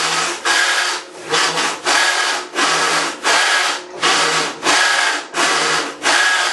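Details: Maytag Centennial Commercial Technology washer, about 14 months old, overloaded for the demo, heard from about five feet during rinse agitation: harsh gravelly grinding surges with each agitator stroke, like a cement mixer, roughly 100–110 dB. Something in the drive may be failing; cause not confirmed.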